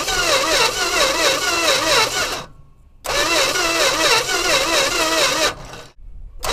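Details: 1963 Dodge 330, unstarted for about 25 years, cylinders pre-lubed, on a borrowed Durango battery plus starting fluid: two long whirring cranking bursts with uneven sputtering between pauses; engine keeps trying but never catches.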